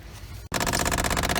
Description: The teeth in the gears for the Ac Actuator have worn down causing them to spin without catching causing the clicking sound!